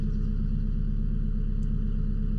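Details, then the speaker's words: EK Honda Civic just turbocharged, first startup, warming up on 87 fuel with a preliminary map: even, steady low rumble with smooth regular pulse, no misses or knocks; rock-solid AFRs at idle, normal settled idle. "You basically got rock solid AFRs at idle here."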